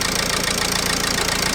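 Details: Dacia Logan at idle after its AC compressor clutch was replaced; the noise was traced to the moving pulley. Steady, even idle with a constant hiss and no squeal, tick or rattle; the mechanic believes the alternator is also noisy and needs replacing.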